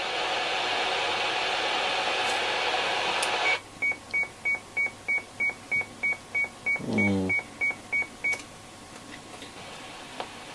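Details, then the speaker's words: Sony ICF-2001D radio under repair, needing an unobtainable 6.275MHz crystal: a steady, even radio hiss with no station, then regular beeps while tuning. The amplifier seems to be working; the owner suspects the front end, not confirmed. "Sounds like the amplifier's working because we're getting a hiss coming through, and it is almost like a radio hiss, so it could be something in the front end of the radio, hopefully."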